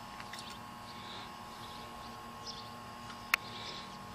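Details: Air conditioner condenser fan gives a steady electrical hum but never spins up; run capacitor almost certainly bad, with the contactor replaced as preventive maintenance.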